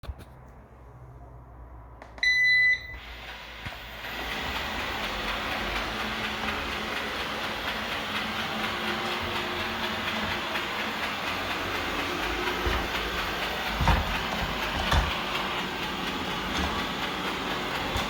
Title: Eufy Robovac 15X Max Clicking noise